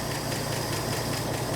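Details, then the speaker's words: 1984 Ford F150 4x4 idling on fuel poured in the carburetor bowl after a rough valve adjustment: rough idle with fast light metallic valve-train chatter; owner fears stuck lifters given badly worn-looking pushrods. "You know, for that half-assed valve adjustment job, it don't sound too bad yet. Got a little chatter."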